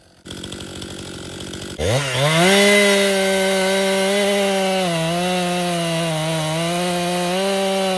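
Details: Stihl MS261 M-Tronic chainsaw after hot-start bog troubleshooting, warm: fires up and holds a strong, even high-rev note with slight dips under load, running clean; owner suspects air was drawn in at the carburetor fuel-line inlet as it heated.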